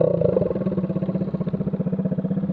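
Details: Scooter riding after its muffler packing and tip fell out, leaving only the empty can: rapid, even, raw unmuffled exhaust pops about ten a second. Loud exhaust from the gutted muffler.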